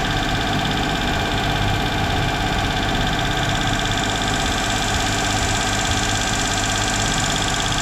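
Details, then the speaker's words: Duet car that stumbles, right at startup after throttle work: steady fast idle that won't drop or stall, turning the adjuster changes nothing; high idle, air leak suspected, not confirmed. "капец сразу на запуске холостые высокие покрутим ничего не происходит"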